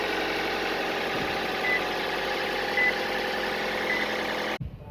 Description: Looking at what causes the Toyota 1NZ-FE 1.5 liter engine rattling noise during starting. This rattling noise will announce itself for a few seconds after starting the engine and then become silent wh